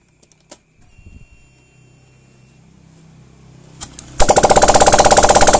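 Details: Honda Vario 125/150 injection scooter first start after reassembling cylinder block and head: quiet clicks, then a fast even putter around two hundred beats a minute; starts and runs fine, break-in advised.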